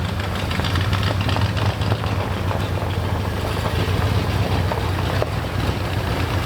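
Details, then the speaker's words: 1977 Ford F150 4x4 barn find, sitting about 20 years, idling after driving back to the shop and stalling: uneven, stumbling idle with irregular thumps and lumpy rumble, clearly missing; a major vacuum leak is suspected. "anyway yeah she's running really really rough we got a lot of work ahead of us but I think we can fix all that"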